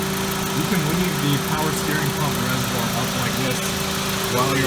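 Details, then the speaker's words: 2001–2005 Honda Civic after replacing the alternator and power steering belts, which had squealed when the AC compressor clutch engaged, idling with the AC on: an even, steady low hum with no chirp or squeal; the belts are fine. "if you did hear chirping then at this point is when I come back in add some more attention into your belt but right now I think everything's good"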